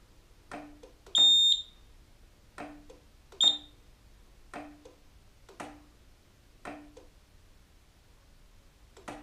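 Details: Roma Sorrento mobility scooter after a throttle-fault repair and throttle pot adjustment: short beeps with soft clicks repeat about once a second in a quiet room; the reverse beeper is normal and no longer cuts out.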